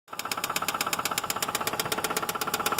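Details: 2006 Subaru Outback petrol engine idling with a sharp, even knock of about eight beats a second tapping steadily.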